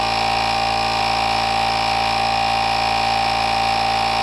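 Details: NovSight G5 jump starter's tire inflator under load, filling a tire from 8 to 40 PSI with cooling fan running: even buzzing compressor drone with steady fan whir, no knocks or stalling; reached 40 in about 18 seconds, unit slightly warm.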